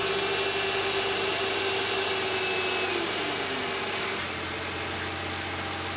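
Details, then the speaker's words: Mercedes E350 right after valve cover gasket replacement (bolts torqued to 10 ft-lb), engine started to check for leaks: it settles from a slightly higher speed into a smooth, steady idle with no knocks or ticks, and the engine bay is dry with no leaks. "Alright guys, as you can hear, the engine is running. I'm looking around the engine bay to see if we have any leaks."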